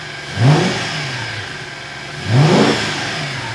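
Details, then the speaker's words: Porsche 986 Boxster with swapped V8, first run after reassembly with fresh oil, temperatures rising gradually; two clean quick throttle blips settling smoothly back to even idle, sounds healthy; oil and power steering leaks noted. "oh ça sonne bien jusqu'à présent les températures augmentent progressivement"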